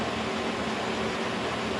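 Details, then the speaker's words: K&T milling machine's first run after a kerosene flush and oil refill, spindle at 90 RPM while testing each gear: soft, even whir with a faint steady tone and no knocks, grinding or whine; the gearbox sounds good. "And it sounds pretty good. So that's 90 RPM."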